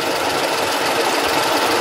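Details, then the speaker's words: Idling car engine with busy rattly whirring that goes silent when the clutch pedal is pressed, indicating noise inside the manual gearbox rather than the engine or release bearing. "هذايا علامة اللي الصوت داخل علبة السرعة داخل البواد."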